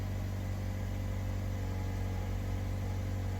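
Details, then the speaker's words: 2013 Mazda 3, 2.0L Skyactiv, automatic, just after cold start with new MAF sensor (previous P0171, P0101): smooth, even idle hum coming down off high idle, no misses or knocks; normal cold idle, believed fixed. "So, it's coming down off of high idle. We can watch the grams per second."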